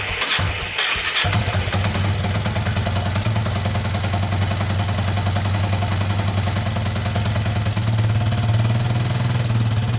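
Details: 2001 Yamaha Warrior 350 with bad engine knock, after a short ride: catches and idles with a sharp steady clatter over the exhaust; owner suspects timing chain but unsure; a loose exhaust valve knocking in the top end was found.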